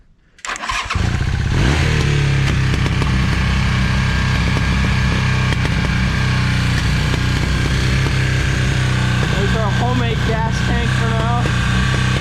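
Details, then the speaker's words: 1982 Honda CM450 twin, first run in seven years after carb cleaning, new plugs, oil, filter and battery: lumpy idle with irregular pops and stumbles; running lean, mixture adjustment still needed; lean idle with popping. "um it still idles pretty lean i'll show you here it actually pops pretty bad"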